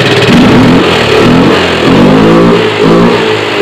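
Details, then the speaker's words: Yamaha Mio FI 125 / M3 scooter engine revved: loud revving with a harsh, gravelly, rattling roughness over the rising note; many possible causes, including poor oil lubrication of metal parts, not yet confirmed. "Oke ini ada kawan nih minta bantu tentang permasalahan di engine-nya motornya Kasar banget"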